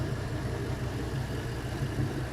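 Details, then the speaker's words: LM7 5.3L iron-block V8, 862 heads, 151k miles, on engine stand, warm: low steady idle with even beat, no misses, knocks, ticking or smoke, runs clean; normal warm idle. "No smoke, runs clean, smells delicious."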